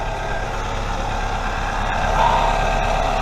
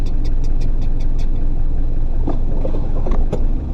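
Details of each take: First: 3S-FE 1996-2000 Toyota RAV4 at idle after an exhaust leak repair (welded, painted and refitted): steady low even hum with no ticking or puffing. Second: 1996-2000 Toyota RAV4 3S-FE right after start-up: sharp, quick ticking about five a second over a low engine rumble from an exhaust leak, getting louder when driving; later fixed by welding.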